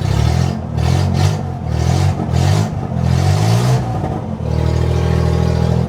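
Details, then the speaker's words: Suzuki Bolan: loud, deep puffing exhaust rasp swelling with each throttle blip at start; leaking exhaust donut gasket (silencer packing) near the engine manifold. "Today in this video I am going to tell you that there is a problem in this Suzuki Bolan car, that when we start this Bolan car we are observing heavy sound of silencer."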